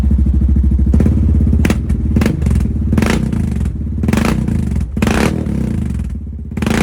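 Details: 2022 Honda Rubicon with full HMF performance exhaust, first start after about a week in an unheated garage, still cold; deep, lumpy burble with sharp throttle blips that rise and fall cleanly and settle evenly. Normal idle and revving.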